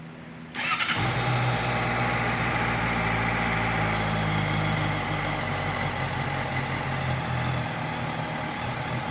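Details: 2018 Honda CBR650F on a cold start catches at once, then settles into a cold idle that wavers and stumbles a little instead of holding a smooth, steady beat; rough idle on cold start.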